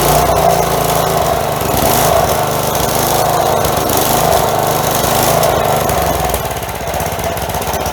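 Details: Long-stored 4 hp Craftsman edger small single-cylinder engine, just fitted with a new carburetor after sand-filled old one removed, first run: speed hunting up and down, surging; owner suspects missing breather and air filter not yet reinstalled.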